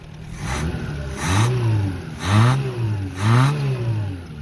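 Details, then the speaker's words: Renault 5 (LeCar) running for the first time after new points, charged battery and ignition work, recorded outdoors in snow and gusting wind; small four-cylinder revs up and settles back cleanly with no misses or knocks. Normal running and revving. "It's running. Can't believe it. It's running. Okay, it's currently snowing. A wind gust came up and all of a sudden the storm cloud just broke loose. Thing is running awesome."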